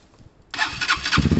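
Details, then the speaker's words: Lexmoto Tempest GT 125 motorcycle with exhaust, cold start on the stand to warm up before a test ride: fires half a second in, catches cleanly, settles to an even putter with no rattles; healthy cold start. "you can warm it on the stand so uh warm it up sounds amazing"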